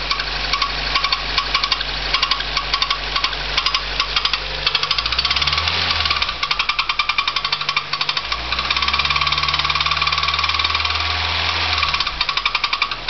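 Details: Nissan Primera with sharp rapid tapping through the engine that quickens as it revs and drops back; engine knocking noise of unknown origin.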